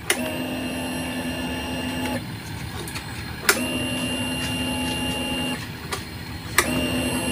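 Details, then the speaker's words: Fuel pump on a fuel-injected motorcycle with a homemade power-up voltage booster set to 14.5 V: repeated two-to-three-second bursts of high electric whine, each opening with a click, louder than on the stock 11.2 V battery. "Jadi, bisa dilihat sendiri, Mas Bro, untuk suaranya tuh lebih ee apa ya? Lebih keras yang 14,5, Mas Bro, ya. daripada yang akis bawaan tadi 11,2."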